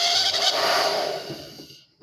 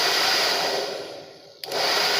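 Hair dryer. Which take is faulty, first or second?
first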